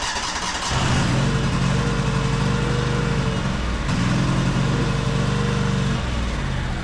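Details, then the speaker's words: High-hour Cub Cadet 2186 lawn tractor with Kohler engine: catches, runs a few seconds, sags and dies, then fires briefly again. It won't stay running due to fuel starvation from a split fuel line, with gas in the tank. "It won't stay running now. Some gas in the tank. Looks like it's not getting fuel."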